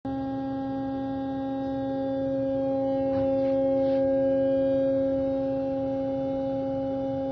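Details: Bosch servo valve 0 811 404 605 on test stand after repair, during 2-hour quality test: smooth steady hum, constant pitch, no knocks, chatter or surging; running normally.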